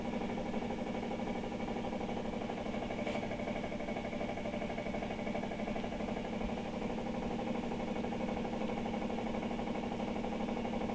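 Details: Electrolux LTR15 washing machine on spin: loud, constant rattling grind over a low hum, pulsing about twice a second; abnormal spin-cycle noise, cause undetermined.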